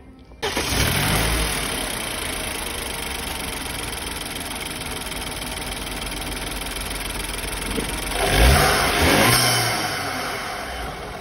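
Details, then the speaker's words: BMW 328i petrol engine after replacing the diaphragm that caused a strong hiss: it starts, idles smoothly and evenly, and revs cleanly twice with no hiss or knock. "Já fizemos uma troca do diafragma aí. Então ficou zerado, pessoal, sem nenhum barulho, só barulho de motor mesmo."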